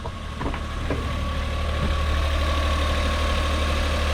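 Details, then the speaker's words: Suzuki Every DA52V kei van, cold engine, no engine light: a few clicks at start-up, then steady slightly fast idle, even with no misfire or knock; idling high because cold, sounds much better than before. "it sounds a lot better than it did right it's idling high but it's cold so we'll forgive that"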